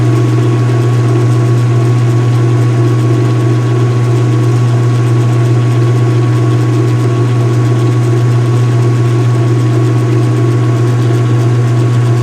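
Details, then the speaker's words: Speed Queen washer with the cover open, on a wattmeter, washing white bed sheets: deep, steady drone with a faint hum above it, likened to a big-block V8, no knocks or scraping; normal spin. "resonant sounds that it makes now is very reminiscent of the nice big block V8 American engine. Oh yeah. It's got that nice like exhaust note almost, you know?"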